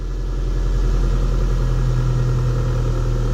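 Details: 1993 Nissan Altima, a crank-no-start car, running after 12 volts was supplied to bypass the faulty relay. Low, even idle rumble with a smooth, unbroken rhythm and no stumbles, knocks or misses.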